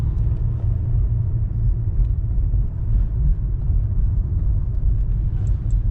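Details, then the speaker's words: Honda Accord 8 2.4, front brake caliper knock fixed by fitting greased GAZelle caliper guide pins; driving over bumps, only low even road rumble, no front clunks or knocks; calipers quiet. "Вхотовке лишних стуков нету. То, что раньше было, Сталинград, всё пропало, всё чётко."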